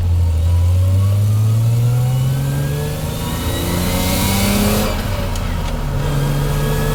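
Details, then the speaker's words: Toyota Chaser JZX100 after an R154 manual swap with a DIY driveshaft extension, test drive: droning rasp when accelerating under load at low rpm, easing as revs climb; source unclear, driver unsure whether normal. "Okay, there's a weird noise when I accelerate. I don't know if it's normal. It's not doing that on higher RPMs, but on low RPM it does that."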